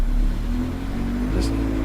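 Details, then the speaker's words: Engine at wide-open throttle with the pedal floored, vehicle barely able to move: low, flat drone that won't climb; very poor vacuum and high downstream O2 show a plugged catalytic converter, not a fuel or mixture issue. "uh this is not some kind of mixture issue fuel issue you're not going to see that kind of map voltage I can't even rev it"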